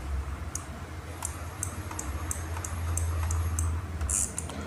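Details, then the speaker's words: RC crawler after replacing a transistor, drive motor disconnected, selecting reverse: sharp, uneven relay clicks, about ten in five seconds, over a low hum, clicking again after seconds. Abnormal; main driver IC faulty, not the relay. "ini kalau buat mundur relaynya bunyinya ini suara yang gak normal dan ketika ditunggu beberapa detik ada suara relay lagi"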